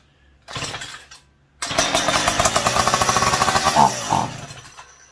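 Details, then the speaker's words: McCulloch PM700 chainsaw, running with newly fabricated expansion chamber pipe fitted: even, fairly quiet buzzing at about three pulses a second, no popping, no leaks or smoke at welds; running fine. "Yeah, that sounds quiet. There's no leaking. I don't see any smoke around any of my welds, so that might be good."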